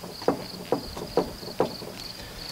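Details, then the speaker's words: 2004 Chevy Tahoe, front wheel jacked up and rocked by hand: five dull hollow clunks, about two per second, from a lot of play; loose steering linkage suspected (tie rod or ball joint), with uneven tire wear, before Pitman/idler arm and tie rod replacement. "now this one's quite loose there's a lot of play in there um and that's also a Telltale sign of a bad tie rod or ball joint or something along those lines"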